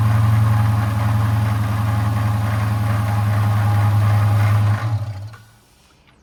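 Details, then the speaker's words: 2011 Dodge Charger R/T 5.7 V8 idling until shutdown, engine bay; steady drone with rough growl over it; water pump pulley has play, worn internal bearing, pump needs replacing. Separate cooling system leak concern. "So the water pump definitely has to be replaced. And that's the source, like I said, of that noise, the growling noise. That's this bad boy here."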